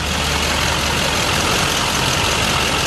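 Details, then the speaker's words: 2004 Chevy C5500 rollback, 6.6 L Duramax, cold day, fuel filter just changed and all 8 injectors new a year ago: steady even diesel idle clatter with no misses, knocks or hunting; a healthy idle. "You hear it running real good right now. There's no problems whatsoever."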